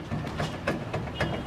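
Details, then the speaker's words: Car front wheel raised and rocked vertically by hand, steering play already ruled out: dull uneven knocks roughly every quarter second; loose wheel bearing play needing adjustment and lubrication. "só que na hora que ele faz a folga é vertical nem vai faz aqui ó souza tem um barulho"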